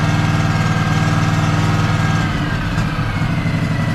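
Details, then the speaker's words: Craftsman DLT3000 lawn tractor, factory Honda 16.5 hp engine, previously no-start, running on its own after manual choke and temporary piggyback solenoid hookup: even, steady thump, speed settling midway, no misses or knocks; sounds good. "sounds good wow I can't believe that worked it's like a piggyback solenoid to a solenoid"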